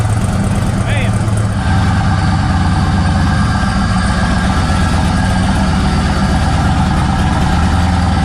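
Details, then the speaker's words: 1956 Bel Air with an LS turbo V8, first start-up: deep, steady V8 idle with a slight cam lope and no ticking or knocking. It sounds good and is not loud; some wiring pins may still need changing. "That thing sounds good. Sounds real good. I'm just not used to it, so kind of like."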